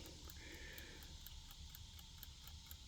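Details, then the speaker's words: Discarded clock being restored, running again before oiling: faint, even ticking at about five to six beats a second, barely audible, with no skips or stalls; the movement runs normally. "And the damn thing is taking off. Look at that. It's running. I can barely hear it."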